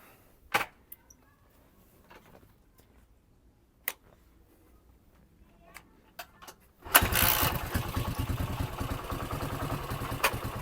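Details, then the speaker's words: Yamaha XT500 single with stainless replica exhaust, stationary idle after starting: lumpy idle with tinny sardine-tin rattle on each beat; exhaust rattle, suspected from replica header lacking original internal piping. "So this is stationary idle. As you can hear, it sounds like a tin of sardines. It's got a rattle."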